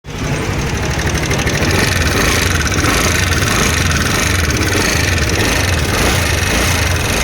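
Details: TVS Ntorq 125 BS6 scooter, race edition: busy running note with rapid irregular ticking and knocking riding over it, loud at idle; worn valvetrain and leaking valves.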